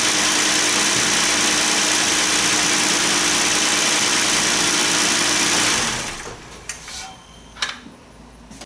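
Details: Hyundai 3.8 L V6, after valve cover gasket repair for an oil leak onto the alternator: steady, even idle with smooth hiss and no knocks or misses, then clean shutdown and quiet ticking; healthy engine.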